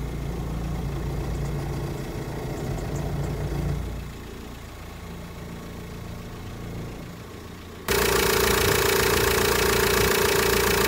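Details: VW Transporter T5 1.9 TDI (2005) diesel idling with a loud, steady mid-pitched whine from a failing power steering pump with a damaged mechanism and no leak; the fix is a new pump and green original hydraulic fluid.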